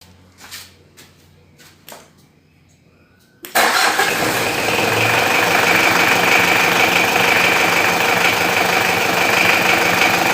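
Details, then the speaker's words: Diesel after fixing a noisy, squealing fan belt: catches after a short crank and settles to a steady, even idle with no belt squeal; fan belt now quiet. "untuk bagian fan belt sudah tidak Berisik lagi ya sekarang ya"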